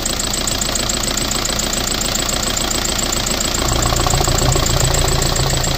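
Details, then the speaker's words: VW TDI diesel donor engine, still in the car before a Tacoma swap, idling during an oil-cap blow-by test. Even clatter with a slight rise and no misses; the cap dances a little but doesn't blow off, so blow-by is mild. "there it is dancing a little bit but didn't blow clean off so take that for what it is"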